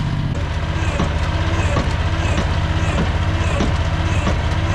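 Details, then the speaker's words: Rail speeder small engine at steady throttle after slipping while pushing cart loaded with railroad spikes: sharp click repeating about every two-thirds of a second, drivetrain slipping; owner suspects loose set screw on chain gear on axle, not confirmed. "Now something's slipping in the drivetrain. I believe I know what it is."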